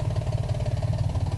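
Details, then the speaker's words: 2000 Ford Contour SVT at idle: loud regular knock, about eight to nine beats a second; owner thinks it comes from under the valve cover, cause unknown. Engine knock at idle. "All right, that's my problem. Making a knocking noise."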